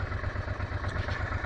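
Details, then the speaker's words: 1996 Honda NTV 650 V-twin, stored six or seven years, first run after carburetor cleaning, cold and smoking: low thumping idle with a slightly lumpy, uneven beat, stalls if throttled; rough idle. "i will give it a little gas okay i will not it will die i and i have to jump start it"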